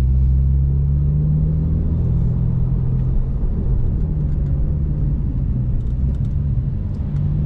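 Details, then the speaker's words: 2012 Porsche 911 (991.1) after a brake job replacing unevenly worn pads that squealed without a wear light: steady road rumble with no squeal or scraping while braking; brakes now quiet. "don't hear anything do you hear anything seems pretty quiet to me"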